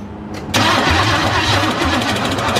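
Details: Cadillac with a 350 engine, first start attempt with the gas tank just hooked up: starter churns fast and unevenly a couple of seconds, never catches; owner suspects he flooded it and the battery is draining.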